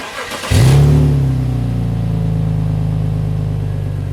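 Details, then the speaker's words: BMW X5 M54B30 after an engine rebuild, warm after a few heat cycles: engine catches, flares briefly, then settles to a steady, even idle with no ticking, tapping or extra noises. Normal idle. "This is now how it sounds after a few heat cycles. I did also add this missing plastic here that was broken from the previous owner. But yeah, if you ask me, this sounds pretty much perfect, no extra noises or anything."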